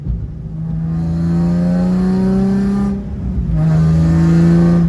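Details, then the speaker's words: Nissan 350Z just fitted with a new Z1 Y-pipe that failed: loud, raspy revving with a hollow open blat, leaking at the back side of the Y-pipe, likely not tightened enough; exhaust leak. "this thing's literally open white pipe now we didn't tighten it i guess we didn't do it tight enough i think that thing sounds loud"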